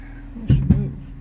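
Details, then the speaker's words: 2010 Ford Fusion 3.0 Duratec with 6F35 transmission, test drive after engine and transmission swap: two dull low pops as the car moves off, from the parking brake that sat engaged for three weeks; parking brake pop on release. "yeah a little pop pop there because of the parking brake because it sat engaged for three weeks"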